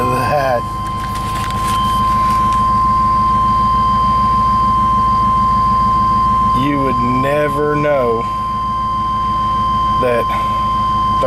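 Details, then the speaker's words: 1999 Chevrolet Tahoe with a P1345 code, after a new distributor cap and rotor (a new crank sensor hadn't fixed it): a steady, smooth idle with one brief rev blip and no stumbling. Before the repair it wouldn't stay running. "minutes ago this thing wouldn't even stay running I wished I'd have recorded it because it was running like just hammered crap"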